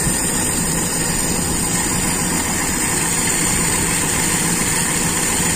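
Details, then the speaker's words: Toyota Kijang with Aisan carburettor, first start after carb disassembly and reassembly, start setting, engine not yet at working temperature: starts straight away and holds an even, steady idle hum with no stumbles or knocks. "Wah ternyata langsung menyala ini [Musik] Anteng lagi"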